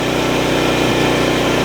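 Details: Portable generator rated 7.2 continuous powering a house through a 10-circuit manual transfer switch, load around 750 and jumping as an appliance (likely microwave) kicks in; loud, even drone that holds steady without lugging; normal running well within capacity.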